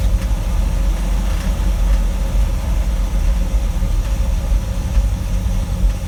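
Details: 1960 Dodge W300 Power Wagon, Poly 318 V8 with Holley 2300 two-barrel 500 CFM carb, manual choke: deep steady rumble holding fast idle that never settles; hard starting and high idle, cause not found.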